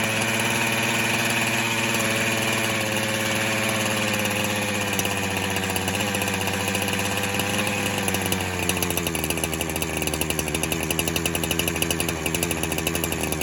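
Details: 372 clone chainsaw that kept leaning out after fuel was added, warming up during a spray air leak test: the idle runs smoothly, then stumbles and roughens partway through.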